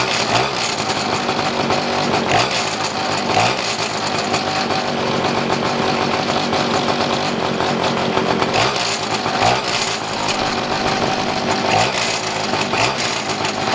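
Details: Two-stroke pocket bike at idle. Raspy buzz keeps surging and sagging every second or two and never settles. The bike has run inconsistently since acquired; uneven idle, mixture still off.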